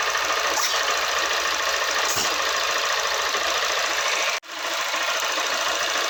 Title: Tappet noise problem again in Honda unicorn 160 #honda #india